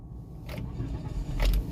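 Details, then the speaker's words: Automatic car started with the shifter in neutral: a brief crank, then it settles into a low, even rumble. Normal start; an automatic can start and shut off in neutral, but the key can't be removed. "Ayun, mga paps. Nag-start ang ating automatic na nasa neutral."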